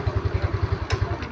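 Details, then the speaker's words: Yamaha Mio Smile scooter after carburetor air screw adjusted to 3 turns, fixing a failure to accelerate past about 40 km/h: even low putter at roughly eight pulses a second, steady and unbroken; starts easily, normal idle. "nah dia langsung nyala ya tidak kesusahan seperti yang sebelumnya tadi"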